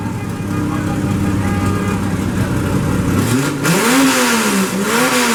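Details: Ford Focus after replacing a broken engine mount that caused a tin-like knock rising with acceleration: engine note climbs and dips smoothly with throttle, no clunks or thumps on load changes; mount holding.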